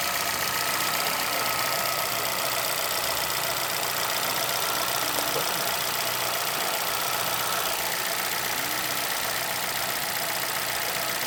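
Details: 2011 Chevrolet Celta VHCE Spirit engine at idle with light, fairly regular tapping about four times a second; owner asks what the knock is, origin unknown.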